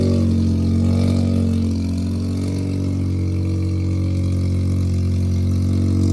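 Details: Mazda rotary project car with Sniper fuel-injected carburetor, phone placed nearby at start: deep steady buzzing drone with quick even pulse and slight rev swell; normal running.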